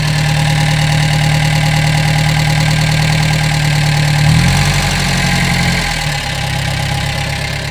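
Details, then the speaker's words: Gehl 3510 skid steer engine after a new throttle cable, fuel primed with the pump clicking: it starts easily without choke, then holds a steady, even low idle with no knocks or misses; the note drops smoothly as the idle is set lower. Healthy. "Well, that was just too easy. That thing, no choke or nothing. It just took right off. Burn like a kitten. Set that idle down a little bit."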